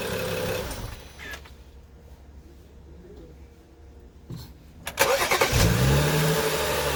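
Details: 2011 BMW 335i xDrive E90, N55 six-cylinder, after replacing accessory belts and pulleys: engine cranks, catches, revs, then settles to a steady idle with no chatter or rattle; normal start and idle.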